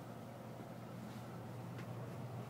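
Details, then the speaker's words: Central Environmental Systems electric-furnace air handler with 3-ton Rheem heat pump (cooling only), started at the breaker: brief screech at startup, then smooth, steady, quiet blower whoosh and hum with no rattles; running normally. "start up here at the breaker pretty quiet got a little screechy sound when it starts up to it it works pretty"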